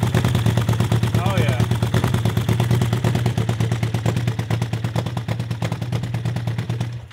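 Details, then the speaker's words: Honda CB750-engined 750cc cross kart with one plug flooded: engine chugs with uneven, missing firing pulses at about three beats per second; spark plug arcing across its insulator instead of the gap causes a misfire. "a bad spark plug here it wasn't jumping the gap it was actually sparking between the uh insulator in there which is going to be a problem"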